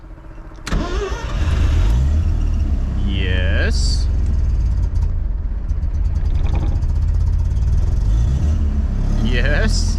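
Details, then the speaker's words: 1979 Mazda RX-7 rotary that sat over 10 years, first start on its rebuilt original carburetor: catches after a few cranks into a lumpy, hunting, stumbling cold idle; owner plans to tune it later. Rough idle. "Alright, it's running. Alright, it kind of idles. It's not great at idling, but I can tune that a little bit later."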